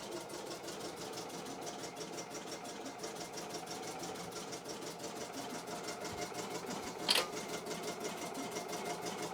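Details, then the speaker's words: Embroidery machine being test-run before going back to the customer. Quick, even needle ticking at a steady rate over a light motor hum, with no knocks or grinding. Normal embroidery stitching. "you can you should be able to hear that machine chugging away there"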